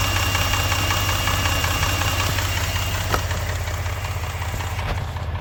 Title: engine knock 3